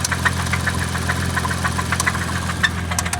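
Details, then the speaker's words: Turbo Chrysler LeBaron engine idling with a little rev: a loose metallic knocking rattle, roughly three to four hits a second, with squealing metal on metal over a low hum; likely rod knock from failed bearings. "Yeah, that squealing is metal on metal. That's what it is. That squealing is metal on metal. She's done."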